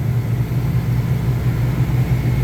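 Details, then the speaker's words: Three-phase compressor on a walk-in beer cooler at 57 degrees, skipped maintenance: steady low mains hum with slight pulsing, not spinning up; 204-206 V delivered, no contactor voltage drop; locked rotor, compressor likely defective. "yeah we're delivering the right voltage I don't think the contactor is the problem I think that we've just got a defective compressor"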